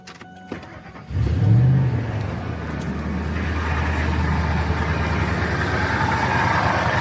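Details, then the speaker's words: Truck just restarted after the accessory belt was refitted and an idler pulley replaced: a rough, loose rattle over a steady idle from the left side of the engine. The owner suspects the tensioner or the AC bypass pulley. "And as you guys saw, it still rattles really bad, but at least we got that idler taken care of. So I hear it on the left side of my engine. So I'm thinking it's either the tensioner, or I mentioned I have an AC bypass pulley"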